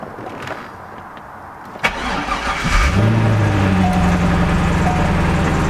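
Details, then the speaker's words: C5 Chevrolet Corvette at idle with a faint, on-and-off chirping squeak from the belt area, quieter than the day before despite WD-40 and motor oil applied to the bearings; tensioner or accessory pulley suspected, check engine light on, cause unconfirmed. "so you can kind of hear the squeaking right now honestly not too bad right now it was a lot worse yesterday"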